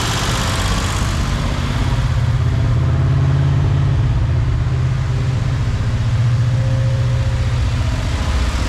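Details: 1976 Jeep CJ5 304 V8, previously locked-up motor, after new fuel filter, hoses, accelerator pump and fresh fuel: deep, steady even idle, no misses, knocks or hunting; healthy.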